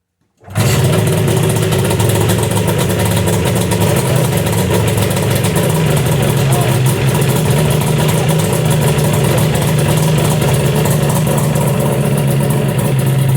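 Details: Yamaha VMax SX 700 two-stroke snowmobile, first start after two years' storage with carbs primed, choke on: fires at once and settles into steady, even idle with no misses; normal start and idle.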